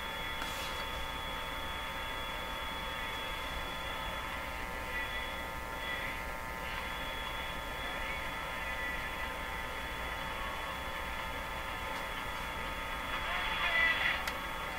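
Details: Canadian Viking EMU61 AC/DC tabletop tube radio on first power-up via isolation transformer and dim-bulb tester, speaker mounted facing backward, floor wire antenna; steady low buzzy mains hum unaffected by the volume control, cause not yet found.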